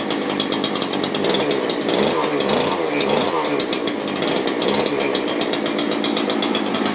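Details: McCulloch two-stroke grass strimmer rescued from a tip, revived after five years, run with reduced choke: high, buzzy drone holding a fairly steady pitch with slight waver; small engine running normally.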